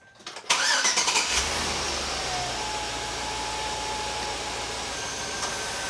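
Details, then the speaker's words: Newly installed replacement radiator cooling fan motors, forced on by switching the AC on, run smoothly on low speed with no rattles or grinding; they sound much better than the old noisy motors. "They're on. I think they're only on low speed though. Oh yeah, that sounds a hell of a lot better."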